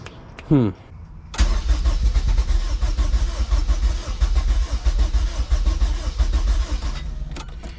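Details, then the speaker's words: Rebuilt junkyard K24A2 in a CRX, first start attempt with the throttle body valve unable to open because there is no throttle cable. A short crank catches, then the engine stumbles and surges unevenly, running rough from lack of air. "man i wish i had a i thought a body that worked right now i can't really give it the extra error because i can't open the valve but"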